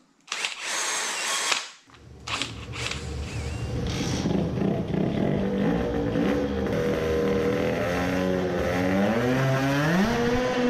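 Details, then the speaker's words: 50cc two-stroke moped tuned for 20 hp, new race carburetor, jet reduced to 100: screaming at high revs with a ragged, stuttering, sputtering note, misfiring at full throttle; carburetor ruled out, spark plug suspected. "it is revving more but misfiring even worse right. it doesn't sound good it is sputtering the same way even with a smaller jet it cannot be because of the carburetor anymore"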